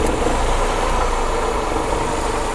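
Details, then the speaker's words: Honda Accord, believed 2001 or 2002, no-start diagnosis: spark plug pulled out to show spark, engine stumbling with an uneven, lumpy beat under the idle as one cylinder drops out; spark confirmed present. "we pulled uh the plug out you can see it right there you can feel the car you can hear the car stumble but you can see the spark so you have spark"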